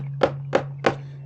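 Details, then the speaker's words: Water softener brine tank that wasn't using salt: fist thumps sound hollow low and solid up top, showing a large salt bridge. The fix is striking it with a rubber mallet until the salt drops. "If you can hear it sounds Hollow down here and solid up here that means there is a big bridge right here"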